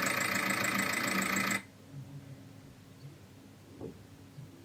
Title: Motorgeräusch mit defektem Hydrostößel, es ist eine 1,9 tdi 105 PS VAG-Gruppe